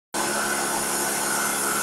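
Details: Vacuum cleaner motor spins up to a loud, coarse roar over a steady hum, a vibrating drone; owner suspects the ball bearing in the rotating ring is not working or has too much friction, possibly from dust.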